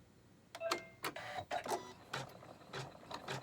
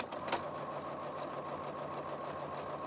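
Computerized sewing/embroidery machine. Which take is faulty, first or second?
first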